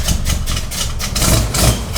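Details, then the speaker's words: 1965 Cadillac with new carburetor, timing set correctly after throttle spring shimmed and timing backed off: starts right up but rough, uneven chugging continues after key-off as it tries to diesel (run-on); cause not yet pinned down. "Hit the key, starts right up, but it's still trying to diesel."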